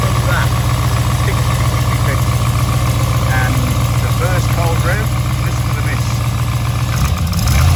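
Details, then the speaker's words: V8 rebuilt about 3,500 km ago, which developed a lifter tick that no thin or thick oil cured, idles steadily with a light, quick tick about four per second riding on top; owner suspects a dead hydraulic lifter. "rted getting a Ticky lifter and it became really annoying I've tried different oils thin thick all sorts and it just didn't go away"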